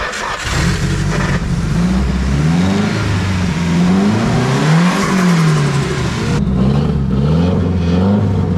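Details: Nissan S13 drift car with SR20DET, just started after sitting all winter on a Miata jump battery: catches and hunts unevenly, revs surging and sagging with a lumpy idle; rough running blamed on the MAF.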